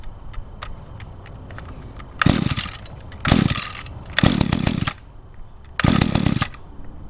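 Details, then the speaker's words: Mantis mini tiller, 21.2cc Echo two-stroke, 50:1 gas-oil mix, choke and primer start. Idles, then snaps up cleanly through four short rev bursts and drops back evenly: normal running, runs real good. "there we go cool yep she runs real good"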